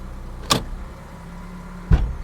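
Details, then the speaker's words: Salvage car with check engine light on: two dull thuds about 1.5 seconds apart over a quiet idle as it's put in gear; clunk on engagement, cause unknown. "This has got a screw in it. You put in gear, it clunks."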